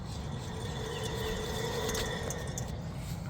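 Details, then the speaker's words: Rough gritty rumble with faint steady hum from a worn rear wheel bearing on a 2018 Toyota Camry SE, hub spun by hand with the tire off; louder on the road, so the whole hub assembly is replaced. "It's louder when the wheel's on the ground and the car is going down the road. So we're gonna get this wheel bearing replaced."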